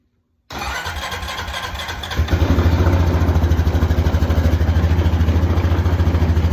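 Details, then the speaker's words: Honda Foreman four-wheeler fired up after fitting a new battery with hand-tightened terminals; starter cranks briefly, catches and settles into steady even thumping idle; normal start and idle. "But I mean, it sounds to me like we got us a four-wheeler going."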